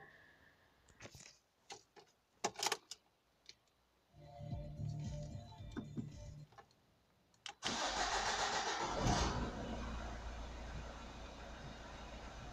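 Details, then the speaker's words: Opel Astra H 1.7 CDTI diesel after turbocharger replacement, warming up before a test drive: some clatter from handling, then it fires and settles into a steady, even idle with no whistle or rattle from the turbo; engine fine. "The engine is working fine, we don't have any noises."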